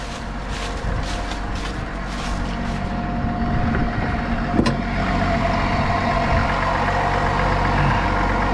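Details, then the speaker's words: 2021 GMC Sierra with the 3.0L Duramax diesel, idling with the hood open right after a fuel filter change and sensor reset. Even, quiet diesel clatter with a few light early clicks and no weird noises: a normal, healthy idle. "so dirty so dirty but no weird noises or anything like that"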